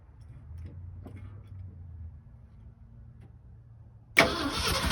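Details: 1967 Ford F-250 Highboy brush truck, 352 V8, four-speed, long abandoned, first start attempt: quiet, uneven cranking for four seconds, then it suddenly catches and roars loud and ragged, with debris blowing out the exhaust.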